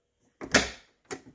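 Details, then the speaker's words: 1990–1997 Lincoln Town Car door closing: hollow click and the door bounces off rather than latching unless slammed, because the door striker bolt bushing is gone; fix is replacing the bushing. "now hear this click door doesn't want to shut click door doesn't want to shut you got to slam it it'll shut"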